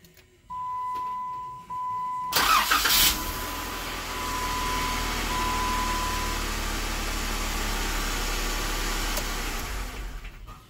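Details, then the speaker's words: 2016 Jeep Wrangler JKR 3.6L with hard starting, random stalling and weak low-end torque, started right after crank position sensor replacement (low oil pressure also noted): short crank, catches, steady idle; owner not confident starting improved. "well it starts and it runs I'm not confident it's any better"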